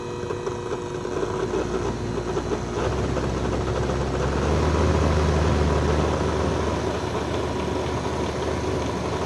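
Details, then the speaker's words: Tanzu cordless fan (brushed motor sold as brushless), full battery, after cleaning and sharpening blades; steady PWM electric hum with only faint rattle, noise reduced about 50–70%. "Kesimpulannya, suaranya berkurang ya. Suara kemretek, suara berisik yang kemarin itu berkurang sekitar 50 atau 70%."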